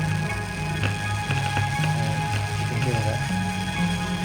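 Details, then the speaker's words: SSL Big Six mixer with headphones at halfway: crackly, fuzzy distortion and scattered pops, heard on the speakers and worse in the headphones, easing when panned. Caused by a loose headphone adapter. "So here's what it sounds like. Just on the speaker, you can hear the pops. You can hear the pops on the speakers. But if I put on the headphones, put the headphones here, you can really hear it."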